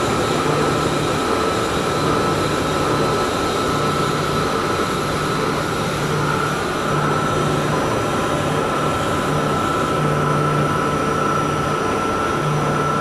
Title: chilled pump motor 75 HP..abnormal sounds inspection...